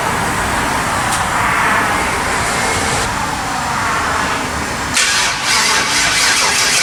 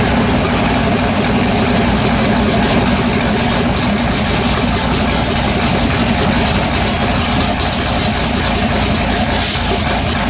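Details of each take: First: LS-swapped Chevrolet S10 V8 with MSD ignition, first fire-up after a build: steady starter cranking with no catch; carbon-fouled spark plugs suspected, plugs then cleaned and coil wiring checked; cranks but will not start. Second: LS-swapped Chevrolet S10 V8 with MSD ignition, running after carbon-fouled plugs were cleaned and coil wiring checked: steady, even idle with a loud low rumble and no misfire stumble; normal idle.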